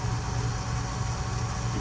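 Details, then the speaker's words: BMW M5/M6/X5M S63TU engine, new radiator and auxiliary water pump, bleed procedure running, belt off: steady low electric hum at even pitch, no rattle, whine or gurgle, no leaks; old pump was loud with shot bearings. "you can hear the pump running, but there are no leaks. So that's a good sign."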